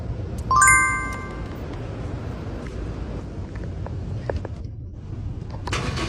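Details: Car that wouldn't start and blew black smoke from the exhaust, after the fix; engine catches and settles into a steady, even low rumble with no stumble, misfire or knock: problem solved, normal running.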